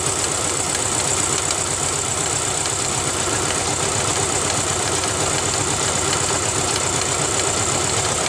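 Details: Rough uneven idle with loose slapping rattle about four times a second on a 2000 Ford Ranger XLT 2.5L that barely idles and dies in gear; owner suspects timing belt slapping the cover.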